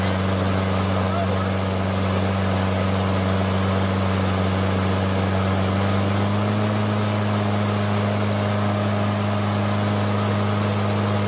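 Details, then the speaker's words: Briggs & Stratton Quantum L-head engine on a Craftsman mower: steady single-cylinder drone stepping up in pitch as the governor return spring bracket is bent to raise RPM. "I'll speed it up and then slow it down and try to get it back to where it was. You'll be able to hear the engine RPM changing."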